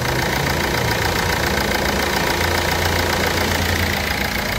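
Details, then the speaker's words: 2004-2008 Ford Fiesta 1.4 diesel idling after overdue service with filters and fluids changed: steady even idle with light regular clatter, no misses or knocks; runs like clockwork. "Ford Fiesta mutrix arkadaşlar Maşallah saat gibi çalışıyor"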